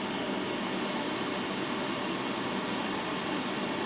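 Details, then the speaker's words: Laser engraver factory exhaust fan with inline exhaust fan switched on high, airflow rising from 2.93 to 3.58 m/s; steady airy whoosh with high even hum as the factory fan spins faster than it's supposed to; factory fan overspun by inline fan. "then I turned on the inline fan and it went to 3.58 so a pretty good jump there from 2.93 to 3.58 and you could hear the factory fan spin up faster than it's supposed to go"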